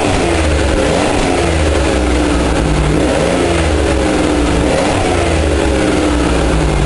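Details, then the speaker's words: Buick Park Avenue after replacing the muffler, run for the first time since purchase: steady fairly low hum rising and falling with gentle revs, quiet with no rasp, rattle or leak; smoky exhaust, owner wonders if due to cold. "yeah that ain't loud at all nice and quiet pretty smoggy though I wonder if it's just cuz it's cold or what"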